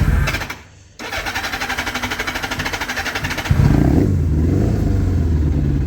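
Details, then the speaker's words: Kawasaki ZR7 four-cylinder, 20,000 miles: cranks then catches into an uneven, lumpy idle with a stumbling beat; misfire, running on three cylinders, cured by removing and cleaning the carbs. "Few creases to iron out. One being has four cylinders but running on three."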